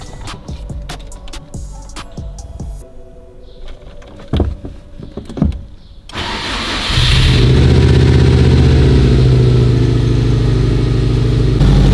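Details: 2007 Subaru STi first start after engine rebuild and install, no coolant, intercooler and intake missing; cranks briefly, catches, settles into steady even idle with no knocks or misses; normal start and idle.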